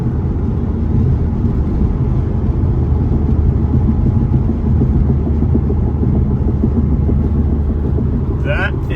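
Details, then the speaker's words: Saab 9-3 (2000s GM-era interior) at highway speed after creaking plastic trim fix, recorded on phone audio inside cabin: steady low road and engine rumble, no rattles or creaks from trim. "not a single single sound. Nice."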